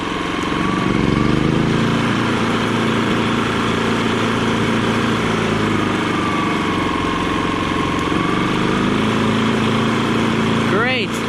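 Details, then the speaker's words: Kipor IG3000/IG3500 inverter generator fitted with a Champion inverter board, testing throttle wiring: engine steady, pitch rising and falling smoothly as throttle works in both directions; normal throttle response. "works in both directions and now the important part does it make power"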